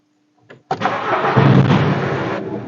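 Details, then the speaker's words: VW Passat B6 2.0 diesel with pump injectors, after reseating an injector connector that caused an open-circuit fault, misfire and smoke: it starts quickly and idles evenly with no smoke. "робить рівно диму що нема"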